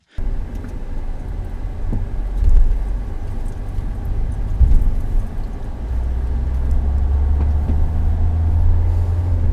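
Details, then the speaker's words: Citroen C4 Grand Picasso, dash cam while driving, before rebushing the original front lower suspension arms. Heavy road rumble broken by sharp, dull clunks from the front end on acceleration and braking. "I'll see if I can put up some dash cam footage, and you can hear the clunking when I accelerate and brake."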